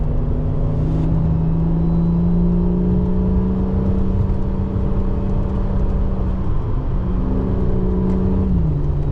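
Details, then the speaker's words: FG Ford Falcon XR6 Turbo after ANTZ turbo-side intake and battery relocation install, intake muffler and piping removed: smooth rise to held rev with clear rushing intake note, even drop back; healthy free revving. "It should sound very dosey because you're going to get so much more air intake sound because we've taken that massive muffler out and all that piping out."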